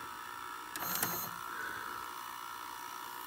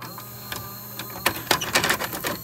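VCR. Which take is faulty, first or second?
second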